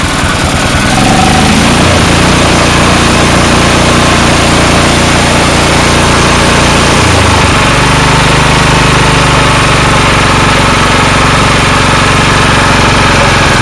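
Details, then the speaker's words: Snowblower engine with non-adjustable carburetor, running only with air cleaner off: loud uneven running, note sagging and recovering every few seconds; owner suspects the carburetor or float sticking intermittently. "it's like the carburetors stuck sometimes stuck up not stuck at other times like a float so i'll fire it up for you show you"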